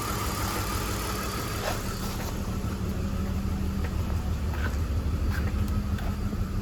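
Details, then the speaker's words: E46 BMW 325xi with code P1349, cylinder 4 misfire and fuel cut-off. Lumpy, slightly uneven idle with a recurring stumble. A spark tester confirmed coil, plug and wiring are good; low compression was found. "If you have low compression, because I have low compression, I already do that. I have low compression."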